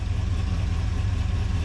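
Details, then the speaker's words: 1980 Ford Bronco started after eight years sitting, with new fuel tank and sending unit, in cold weather, steady even low rumble at a slightly quick idle with no misses, knocks or stumbles; normal fast cold idle. "it's idling that quick, man. I mean, it's kind of cold out here."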